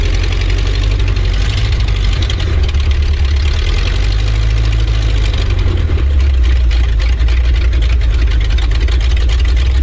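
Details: 1970s Ford dentside ramp truck revived after about 10 years with a Chevy HEI ignition module rigged in: deep, steady low V8 rumble with an even beat and no misses or knocks; running properly.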